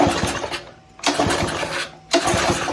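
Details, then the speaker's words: Very old pressure washer that would not start: on starting spray (carb cleaner) the engine fires in three short sputtering bursts about a second apart, then stalls each time; bad gas suspected, spark not yet tested. "We're good on the carb cleaner. There we go. It's coming to life a little bit."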